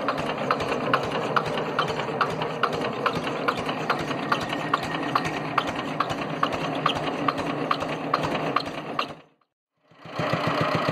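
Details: Single-cylinder air-cooled Petter diesel on a homemade mini dumper, sitting about 10 years and revived after freeing the injection pump and the stuck injector needle. Slow, even chug with a crisp tick about twice a second, steady throughout. Running cleanly and healthy.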